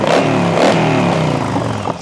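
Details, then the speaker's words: Yamaha V Star 1100 V-twin, earlier popping and banging at idle, now after tuning tweaks: deep note blips cleanly with snappy throttle and settles back without popping or stumbling; carbs running properly. "and it's got a nice snappy throttle."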